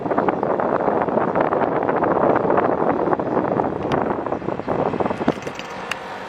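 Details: 1990s Japan-made National/Matsushita CU-915KH 1.0-ton mini-split outdoor unit on roof tiles, daytime: loud uneven rumbling rattle with scattered sharp clicks over steady running; noisy since September 2012, vibration cause unconfirmed.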